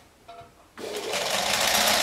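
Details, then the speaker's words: Chaika-2 sewing machine after replacing cracked nylon half-gear with a metal one, gear mesh adjusted: after a brief tap spins up into a smooth, even, quiet whir with no knocking, the gear pair having bedded in; normal running. "Вот сейчас машинку будет не слышно. Вот. Как я и говорил. А все потому, что пары притерлись более-менее."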